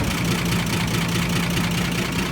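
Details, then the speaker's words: 1955 Chevy Bel Air V8 after a tune-up, new distributor cap and plug wires corrected to the right firing order: a steady, even low rumble with no knocks or misses, a healthy normal idle. "Purring like a tractor should. It is a mess, guys. It is a mess. But we got it. It's running."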